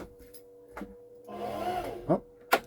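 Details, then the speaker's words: Front-loading sewing machine after hook and bobbin case reinstall: short smooth motor whir, no needle thumping, presser pushed but nothing sews; bobbin winder was engaged, disengage it up top. "That noise was because I had my bobbin winder engaged. So if you ever push the presser foot and you hear a whirring sound but nothing's happening, look up top. You might need to disengage your bobbin winder."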